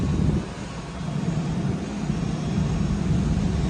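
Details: 2008 Jaguar S-Type after new spark plugs, coil packs and intake manifold gaskets: smooth, even idle with no stumbles, no codes and no misfires.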